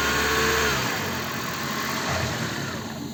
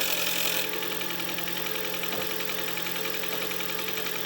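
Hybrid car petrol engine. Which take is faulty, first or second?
second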